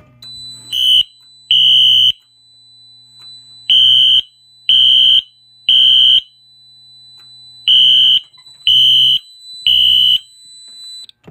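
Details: Radionics D7022 mini fire alarm demo board with a Wheelock NS horn strobe set to code three, activated from a BG-10 pull station: loud, high, half-second horn blasts in groups of three with pauses. Normal horn operation.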